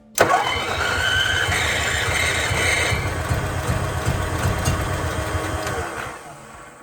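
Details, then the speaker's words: Onan RV generator, hand-primed after carburetor cleaning: uneven starter churning for several seconds with one brief firing cough, never catching. A fuel or ignition problem remains. "I heard a cough heard a little cough there [Music] it's really trying now"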